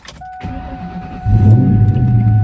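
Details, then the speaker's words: 2001 Ford Mustang Bullitt V8 just after fitting a JLT cold air intake and flashing a VMP tune. A warning chime, then a short crank; it catches quickly into a deep, steady rumble with no check engine light. A clean start. "All right, started up fine."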